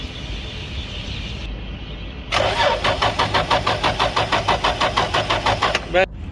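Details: Lexus GS300 cranks at a steady even pace for about four seconds but never fires; security light flashes with ignition on and code B2798 is stored, so the immobilizer (key transponder/amplifier) is blocking the start.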